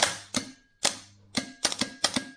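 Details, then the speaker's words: Starter for Mk3 Ford Cortina 2.0 Pinto on bench test, solenoid pre-engage check; crisp sharp clicks in quick bursts with quiet gaps, solenoid pulling in cleanly. "throw the solenoid forward which it doesn't so solenoid oh no that's the wrong connector where oh there it is this should click"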